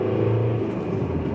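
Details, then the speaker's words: 1.9 TDI diesel, own car, after repairing the wiring harness inside the cylinder head (pump-nozzle injector contacts): full acceleration now pulls cleanly and evenly with no judder. Before the repair it vibrated between 2800 and 3000 rpm under full acceleration. "ruckeln ich hatte sonst mal wenn ich voll beschleunigt habe zwischen 2800 und 3000 umdrehungen hat es angefangen zu vibrieren und wenn ich darüber wacht über 3000 jungen dann war es wieder gut jetzt ist gar nichts mehr also von anfang an nichts einfach spitze"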